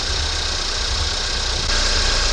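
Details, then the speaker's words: 2019 Ford Fusion 2.0 EcoBoost after alternator replacement, warming up with the alternator charging: an even, steady idle with a low hum and injector hiss; the earlier noise from coolant on the belt has gone; normal idle. "The noise went away. All is good. Let it run for a little bit now."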